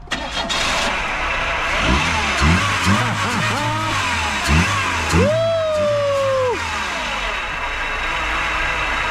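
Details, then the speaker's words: 1996 Oldsmobile Cutlass, first start after sitting long enough for wheels to rust, run with a pump feeding fuel on a pressure line: starter churns, engine catches with a quick rev flare, then settles to a steady even idle; starts and runs fine. "that's all she is folks when you get a pump on it [Applause] one thing runs good over here"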